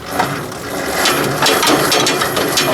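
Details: 1944 Ford 2N tractor hand-cranked with new crank handle: rapid ratcheting, gear-like clatter, sounding like the starter is spinning along with the engine; cause suspected, not confirmed.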